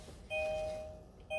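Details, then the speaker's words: 2016-2021 Kia Sportage in-car chime speaker (for hazards, signals, door chime), just replaced after the old one gave no sound: two clean, steady mid-pitched chime tones about a second apart, clear and undistorted. Normal door chime after repair. "That's the sound it should be making."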